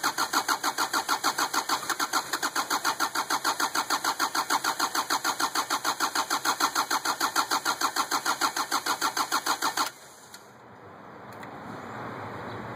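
Steady rhythmic cranking at about three pulses a second for ten seconds, never catching, then it stops; hard starting.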